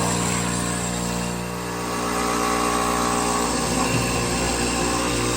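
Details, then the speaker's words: Fluoromizer 3500 refrigerant recovery compressor, reassembled, motor not warm at 4.5 A, as the high side is blocked off to test outlet pressure build: steady, even motor hum with a smooth compressor beat, no knocks or grinding; normal running. "Okay, motor's not warm. Amps are 4.5. I decided I'd try blocking off the high side, you know, to see if it builds pressure on the outlet."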